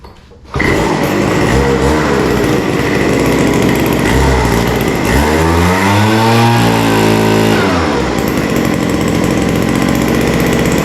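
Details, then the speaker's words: Vintage WeedEater leaf blower, Walbro diaphragm carb with only an idle mixture needle: small two-stroke revs hard then drops back, slightly burbly at full throttle; idle reopened after leaning caused hesitation, leaving a slightly rich top end. "So I'm going to have to open that back up And I think we're just gonna have to live with a slightly rich top end."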